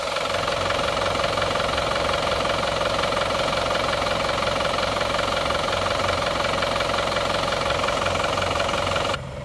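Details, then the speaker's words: Isuzu Panther pickup diesel after rebuild and injection pump timing advanced: crisp even idle clatter, slightly hard-edged but regular with no misses; smooth yet livelier, exhaust clean with no smoke. "dengar suaranya Nah suaranya seperti ini dengarkan suaranya tetap halus tapi lebih renyah"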